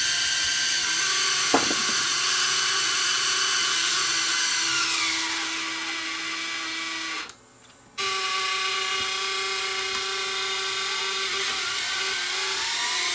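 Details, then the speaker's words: Sony DSR-11 DVCAM deck in fast forward: thin high screech over transport whir, cutting out and returning on restart; reel motor ruled out by touch, owner thinks it's the capstan motor. "that is that's weird I think it's the Caps the motor that's streaming"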